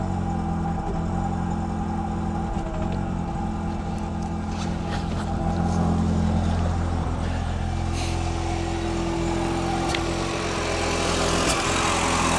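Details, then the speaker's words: 2000 Audi TT Quattro started after sitting parked a long time: idle with small hiccups, and the exhaust smells bad; owner suspects old fuel running through the system. "So, it's running, but it has a little bit of an hiccup. Hopefully, it is the the actual fuel that's in there."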